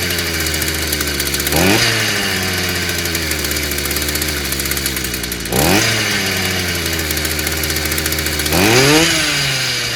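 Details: Stihl FS55 brushcutter, warm, good-quality plug fitted, new exhaust fitted; steady two-stroke idle with three quick throttle blips rising and dropping back cleanly; carburettor still due for review and tuning.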